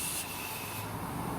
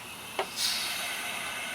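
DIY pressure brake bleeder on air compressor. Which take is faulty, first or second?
first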